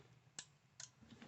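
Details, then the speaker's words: 12V car relay on the bench, power applied to terminal 30 and ignition feed with earth on 85: two crisp, sharp clicks as the armature pulls in cleanly; relay working normally. "you can see that moving click you can hear a click"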